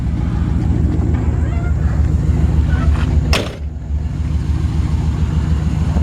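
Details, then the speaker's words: 1973 Chevrolet Camaro 350 V8, likely a mild cam: deep, even rumble with a steady loping beat and one brief bump midway; engine runs fantastic and clean; normal running. "Engine runs fantastic. It's got a nice looking engine detail. You can just hear the engine runs great. Sounds like it's got a mild cam in it."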